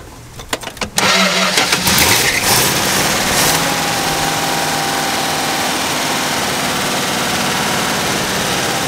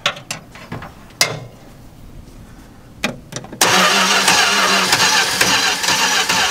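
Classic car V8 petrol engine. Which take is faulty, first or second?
second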